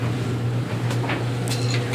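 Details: Dryer after repair running with a steady low hum and a few light handling knocks; it had only buzzed and not started until hardened lint pressing against the blower wheel was removed.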